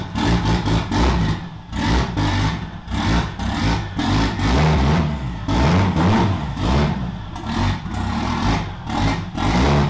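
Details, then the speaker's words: 2JZ-swapped BMW E36 on its first drive, throttle blipped: revs rise unevenly and sag in bursts, a stumble when revving. The owner suspects it runs lean as revs rise and may raise base fuel pressure; not confirmed. "i might have to adjust fuel pressure um because it seems like it's getting a little lean as i rev it up so i might have to just increase the fuel pressure a bunch the base"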